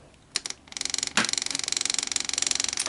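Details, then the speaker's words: Old air-cooled Yanmar diesel with mechanical fuel pump: cold-start prep with throttle set and compression release held, rapid even light ticking as the fuel pump switches on and primes before key start; normal priming clicks. "all I have to do is turn on the fuel pump, and you'll hear it start clicking."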